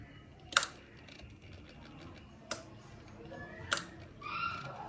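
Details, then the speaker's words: Royal Enfield Himalayan that won't start after sitting 4-5 days: at key-on the instrument cluster works but the in-tank fuel pump gives only three sharp clicks and no priming whirr; cause not confirmed. "இத பாருங்க இத on பண்ணா motor run ஆகாது. Run ஆக மாட்டேங்கது இந்த பாருங்க motor. இந்த ஃியூல் இன்ஜெக்டர்ல வந்து மோட்டார் ரன் ஆகல இப்போ இத வந்து சவுண்ட் மட்டும் இங்க உள்ள கேக்குது."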